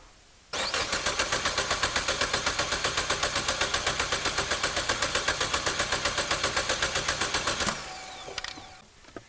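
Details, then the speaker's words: 2015 Chevy Cruze with P0171, P00B7, P0131, P1101 and P0599 codes and 30% long-term fuel trim, audible compression test: steady cranking about four beats a second, every beat equal, so no weak cylinder. "Okay, that sounded totally fine to me."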